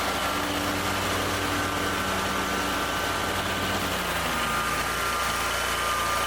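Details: Ferris zero-turn mower after troubleshooting, new battery fitted: steady, even idle with a constant hum that settles slightly lower partway through; no knocks or misses, normal healthy idle.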